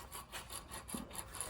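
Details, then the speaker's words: Failed stator bearing from a Ford Fusion Hybrid / Energi HF35 transmission being rebuilt, spun by hand before cutting open: dry gritty rasping pulsing about five times a second; pitted bearing races. "you can hear it's pretty gritty in there. So, we're going to cut this bearing open and we're going to see inside what it looks like."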